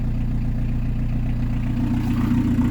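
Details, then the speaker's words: PSA XUD diesel converted to an in-line 4M injection pump. Steady clatter with slow, even firing pulses at idle. It runs better with a little throttle. Low idle speed. "Et j'accélère un peu, ça va mieux. Le ralenti est pas haut."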